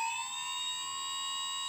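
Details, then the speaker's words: TBS Discovery build, one of the good G motors, table-mounted with vibration read on an iPhone iSeismometer app: steady clean high whine without wobble or beat, barely any vibration on the scope and it feels smooth through the table. "we can see on the scope but there's barely none vibrations and if I put my fingers on the table I can feel that it's running quite nice"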